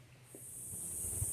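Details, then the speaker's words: 1963 Corvair convertible revival: fuel filler cap off, inlet line to the tank loosened and air blown through; a soft, steady hiss builds as air is pushed back toward the tank, showing the fuel line is open and clear. "You can hear that there's actually air being pushed back that way. So, that's a good sign."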